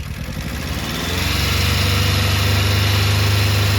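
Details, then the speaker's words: Rover 200 mk3 T16 Turbo: the engine settles into a lumpy, uneven idle from a misfire on one cylinder. Number two cylinder sparks, but unplugging it doesn't change the idle; the owner suspects fuelling, tappets or his own wiring. "So that one is sparking. So it suggests we got a fueling issue maybe on that cylinder, or the tappets again."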